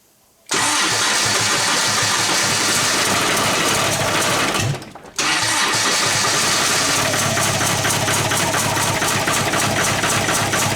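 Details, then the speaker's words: TDI diesel swapped into Jeep Wrangler: cranks, catches and settles into uneven lumpy clatter with irregular beat; runs like a misfire, owner suspects a dead cylinder, starter pin has snapped twice, cause unconfirmed. "it definitely runs like it has a misfire I wonder if I don't have a dead hole"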